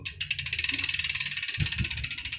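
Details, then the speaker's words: Sword performance hub SWO2.3 (6 pawls, 3 teeth, soft spring, oilslick, quick release) on 9-speed 11–46 sprocket, coasting slowly one click at a time: crisp, evenly spaced ticks about fourteen a second, pawls engaging cleanly; normal freehub clicking. "Yan yung tunog niya pag mabagal. Ito pag paisa-isa lang. Isa-isang clip lang."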